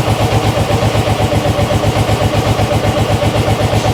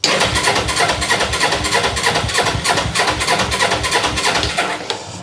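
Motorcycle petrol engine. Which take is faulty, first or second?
second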